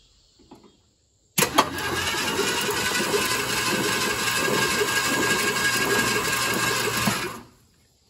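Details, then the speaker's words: 1967 Ford Thunderbird 390 FE big-block V8, stored about 30 years, first battery hookup with new distributor cap, reused rotor, Marvel Mystery Oil: starter cranks steadily about six seconds, puffing but no catch; engine now spins over freely. "It was puffing a little bit there, wasn't it? At least it spun over. I'm just excited this thing actually spun over."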